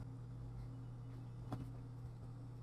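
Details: Asus AsusPro P2520LA laptop after motherboard power-jack re-soldering and hinge repair, running with battery charging: quiet steady low fan hum with no rattles, ticks or scraping; fan spins smoothly and sounds normal.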